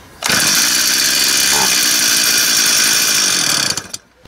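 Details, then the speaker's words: Used Stihl 026 chainsaw, fuel poured in through the spark plug hole: fires and screams about three seconds then dies; ignition works, it burns only the primed fuel and the carburetor isn't drawing fuel, owner suspects carburetor. "Motor ist jetzt deshalb durchgelaufen weil der jetzt diesen Kraftstoff verbrannt hat den ich hier oben reingefüllt habe aber jetzt ist ja wichtig dass der Kraftstoff über den Vergaser angesaugt wird nein das tut do nicht mehr"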